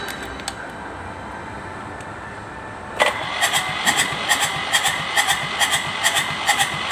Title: Hard starting kubota Z751